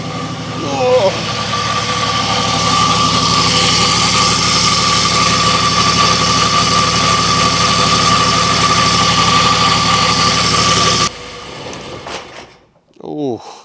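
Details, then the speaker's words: Nissan GQ Patrol diesel on its first start after years unregistered, idling in neutral: a constant high metallic scrape over the clatter, possibly from the gearbox/clutch area. "did not sound good. I don't remember it sounding like that last time I started. It could sound like it was coming from the from the gearbox sort of the clutch area."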